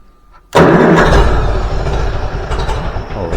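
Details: Antique Farmall B tractor after replacing a weak ignition coil: quiet, then catches at once and settles into a steady, even idle with no misses; good oil pressure, clean healthy start.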